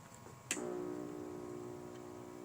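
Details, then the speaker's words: Commodore 64, one of several second-hand units, on first power-up: a click, then a steady, loud buzz that does not change, with no video output. Warming it up does not help, and the electrical fault is still unknown. "I don't think this guy's doing anything no video out making a a really loud buzzing noise so that'll give me something to look up yeah it doesn't sound good at all"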